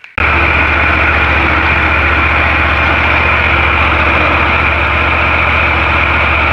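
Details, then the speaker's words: Ferris IS-3200Z mower with Vanguard engine started after oil change: steady engine drone with hard buzzy vibration on top; drive belt looks loose and floppy, owner suspects belt or drive idler pulleys; vibration noise. "i just started up after the oil change to make sure everything's going right and i've been noticing this vibration noise and i just looked at it and this this belt seems kind of kind of loose and floppy"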